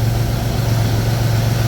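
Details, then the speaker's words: Pontiac Fiero after A/C recharge: steady, even low hum at idle with no on-off cycling or rattles; vents about 30°F below ambient, compressor running normally. "so we're about 30° or more below ambient which is plenty cool the system is now running efficiently it's not"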